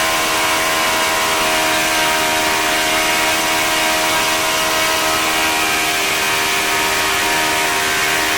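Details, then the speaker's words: OS FS-40 Surpass four-stroke glow engine after bearing replacement, new Enya No. 3 plug, turning an 11x6 prop at about 9,400–9,500 rpm: high steady buzzing drone at constant speed, no stumbles or rattles. Normal high-speed running. "but I mean it was turning his 11 6 crop in a pretty respectable 95 94 hundred rpm which is pretty darn good I think for this engine"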